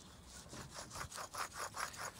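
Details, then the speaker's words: Land Rover Discovery 2 TD5 front wheel bearing, after about 20 years with play, MOT advisory: hub spun by hand gives a harsh rasping grind pulsing about five times a second; new bearing is smooth. "oh yeah I mean you know that's as rough as anything rough doesn't if you listen to this one this is very smooth yeah no noise"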